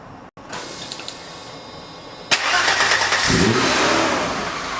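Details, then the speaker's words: Mercedes 190 just completed with a CIS M104.980 engine swap, first start: brief crank, catches at once and revs cleanly with a crisp, even note, no misfire or knock; normal start and rev. "This thing sounds absolutely crazy."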